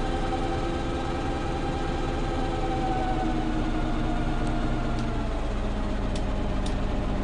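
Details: Preserved GM Buses MCW Metrobus Mk1 5120 (SND 120X) diesel, 2012 running day: uneven, wavering low idle drone drifting lower midway, not settling; known idling problems, bad diff, sometimes won't engage third gear; unstable rough idle.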